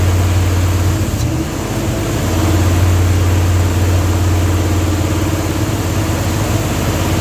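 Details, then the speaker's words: Dodge 360 Mopar LA V8 truck with Holley double-pumper carb, idle turned up: uneven low beat, speed sags then recovers, won't idle below about 1,500 rpm; owner suspects vacuum leak, possibly intake or carburetor gasket, not confirmed. "doesn't want to idle. You get down 1,500 or so and it won't idle."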